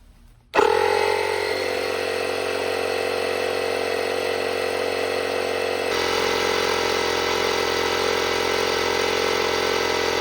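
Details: Small domestic air compressor under repair, running from a solar panel system. It starts with a thump, then settles into a steady, even motor-and-pump drone with no knocks or rattles while building pressure, reaching just over pressure, though the check valve area leaks slightly.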